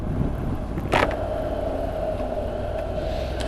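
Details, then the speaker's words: Honda NC750X riding: steady mid-pitched whine from the front tire, always present, under wind and engine rumble; a minor irritation the owner plans to cure at the next tire change. "one of my pet hates is their front tire noise I'm hoping you can hear this it's more of a minor irritation this one but it's always there it's just whining away all the time"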